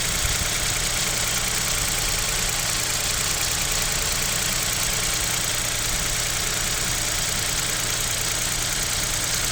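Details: Kia Picanto 2, 1.0 G3LA engine, cold idle at about -7°C: light, uneven tapping about twice a second under a loud hiss, suspected bottom-end/piston knock; owner wonders if an overhaul is due, cause unconfirmed.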